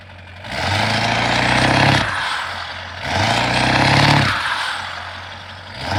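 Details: Ford 7.3 Powerstroke diesel after owner's engine swap: steady clatter with low even drone swelling and easing every couple of seconds; idling smoothly and healthy.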